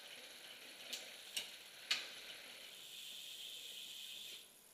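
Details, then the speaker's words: Rear bicycle derailleur with high limit screw set too far in: three sharp clicks half a second apart, then soft chain whir as chain hesitates shifting 8th to 9th; fixed by backing screw off gradually. "you're going to want to back that off a little bit at a time until you get it to drop into ninth"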